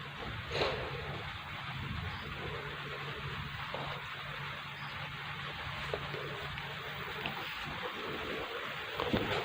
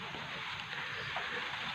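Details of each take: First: Polytron Slim CRT TV after the power board was replaced. It had a picture but a crackling, ticking noise went straight to the speaker. It now powers up quietly with only soft hiss and low hum, no crackle and no noise from the FBT. The fault is fixed. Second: Polytron Slim TV with normal picture but dense, steady crackling hiss straight into the speaker; picture sometimes goes dark by itself; caused by a failing flyback transformer.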